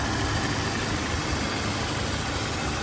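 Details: 2003 Toyota Kijang LGX 1.8 EFI petrol, manual RWD, first owner, engine bay: even idle with fast, light injector ticking riding over it, nothing knocking or rough; engine sounds healthy.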